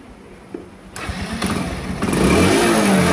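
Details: Motorcycle that wouldn't take load, sputtered and stalled, overheated CDI likely water-damaged from rain: after CDI replacement engine catches after a couple of cranks and settles into steady even beat, revving smoothly.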